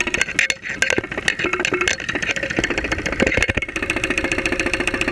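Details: 2001 Saturn SL2 at idle, stethoscope microphone, after being run with very low oil; not run for two months, oil pressure about 35-40 psi at idle. Sharp, uneven knocking that settles into a steady tap; bottom-end knock suspected, not confirmed.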